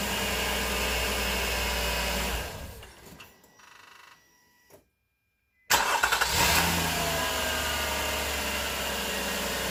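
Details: Nissan Murano 3.5L after a belt is changed and tensioned with the 14 mm pulley bolt locked: it idles, shuts off, then restarts to a smooth idle with no belt squeal. The squeak is fixed.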